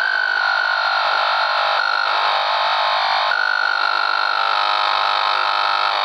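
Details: Old Macintosh: steady high whistle that wavers and warbles with chirpy, theremin-like swoops, no mechanical noise; caused by dead capacitors.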